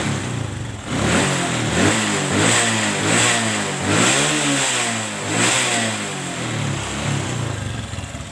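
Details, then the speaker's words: Motorcycle carburetor after the idle air screw was adjusted correctly: steady idle with sharp throttle blips that rise and fall cleanly, no stumbling or popping. Clean throttle response. "Oke kita setel bot anginnya ya kita setel seperti ini oke ini sudah pas langsamnya dapat kita geber gas seperti ini"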